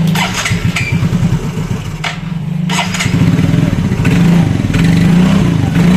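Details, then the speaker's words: Yamaha Mio Fino 125 fuel-injected scooter that won't hold idle, before repair: slow, lumpy putter that sags and nearly dies between beats; idle far too low. "Nah jadi untuk langsamnya motor ini itu seperti itu ya teman-teman eh Jadi kalau misalkan ngelangsam pelan ya terus ee nanti bakal mati ya jadi enggak langsamnya itu enggak normal ya terlalu kekecilan ya"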